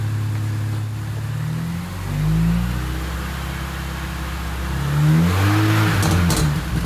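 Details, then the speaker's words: 2005 Mini Cooper S after alternator replacement, started for charging test; smooth clean revs rising and falling twice, no knocks, rattles or whine, charging at about 14 V, engine healthy. "All right, let's do this. Sounds good up front. That's charging."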